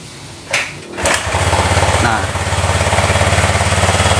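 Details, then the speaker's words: Honda Vario 150 scooter, whose no-start was caused by an aftermarket (KW) ACG socket at the ECU, started without the battery: catches after a couple of cranks and settles into an even, steady idle pulse; normal, healthy running. "kalau misalkan motor normal itu kayak gini, walaupun tanpa aki dia tetap hidup, itu tandanya motor normal, gak ada kendala ya."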